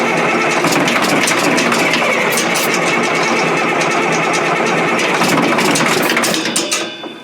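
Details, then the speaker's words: Caterpillar 977L track loader on a cold day, limited battery, ether used, fuel pump troubles and fuel leaking out losing prime: starter cranks about 3.5 turns a second with faltering catches but never runs; suspected not getting fuel. "I just I don't think it's gonna run they can feel like that I don't think it's getting fuel"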